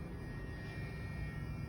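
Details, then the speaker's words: BMW E92 335i N54: with the corroded battery positive lead plugged back in, the fuel pump runs with a steady low hum and faint constant whine. Unplugging it stops the pump; the corroded wire caused the fuel-pump problem. "the second i unplug that the fuel pump stops plug it back in fuel pump fires up again"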